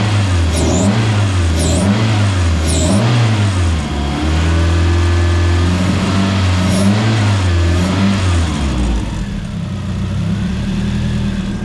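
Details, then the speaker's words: Zetec turbo engine in a mk2 Fiesta: revs blip up and settle back cleanly, firing evenly on all four cylinders with no stumble; still needs tuning. "I mean, it wants tuning, definitely wants a tune, but it's running and idling on all four."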